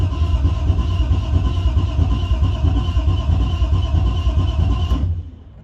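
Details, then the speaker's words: BMW E36 drift car build with new fan, radiator, temporary exhaust and gas tank, first start after priming fuel lines: engine catches and settles into an even, steady low rumble with no knocks or misses, then shuts off cleanly; runs healthy. "Motor sounds fucking fine. Yeah. Motor's chilling. Right to idle and fucking go!"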